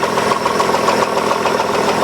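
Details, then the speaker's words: 2003 Hyundai Sonata 2.7 V6 (G6BA), running, sometimes hard-starting: semi-dull, semi-ringing metallic knock, even, at all rpm, heard near right cylinder head between block and head; chain tensioner considered as a cause. "ну и слышно очень такой полу глуховатый полос звонкий стук двигателя вот такой вот слышно"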